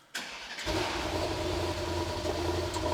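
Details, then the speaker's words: 2021 Mercedes GT63s AMG twin-turbo V8, an auction non-runner after a coolant leak, restarted while awaiting parts; the starter whirs, it fires and idles with an uneven, lumpy beat, definitely running rough, cause not yet diagnosed. "a twin turbo V8 up and running look at this man running I can't believe this cost money definitely running rough"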